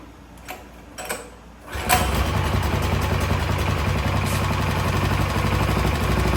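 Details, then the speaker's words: Coleman CT200 minibike with Predator 212cc engine, started on starting fluid: a couple of failed catches, then it runs with an uneven, lumpy putter of about four pulses a second; carburetor needs cleaning (new carb planned). "how can see it already kind of run but I can see that it do need a car clean"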